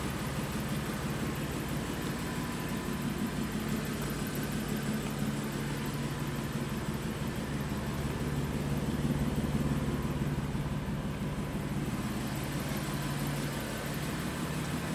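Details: 2015 BMW M4 at idle: steady idle with a soft, fairly regular pulse about twice a second riding on the engine note; abnormal noise, source unclear.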